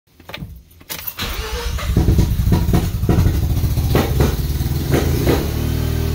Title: '93 RX-7 won't start